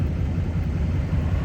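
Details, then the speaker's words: Stock LML Duramax diesel after an oil change and fuel filter change, no aftermarket turbo or intake: deep, steady idle with an even low rumble, no knocks or ticks, good oil pressure; engine sounds healthy. "Sounds good. Good oil pressure. Everything looks great."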